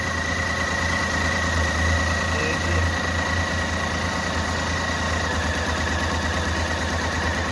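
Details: Renault Kwid at idle: uneven, lumpy idle with irregular low thuds and a shaky beat; misfiring with cylinders not working, won't rev and stalls. The cylinder head is removed and refitted.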